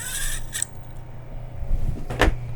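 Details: Tevo Tornado 3D printer with MKS-Robin board, TMC2209 drivers and new filament holder, running: low steady motor hum with a few light clicks, even and unbroken; smooth, healthy normal running.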